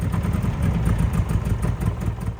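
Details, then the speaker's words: Eagle SS kit car with an air-cooled engine, abandoned for years: low, lumpy, uneven putter held up only on light throttle; no desire to idle and dies when the accelerator is released. "And after lightly holding my foot on the accelerator for a minute or so, it didn't sound too bad. Well, it sounded like a beetle, but you know, a working beetle. But as soon as you let off the accelerator, it would die."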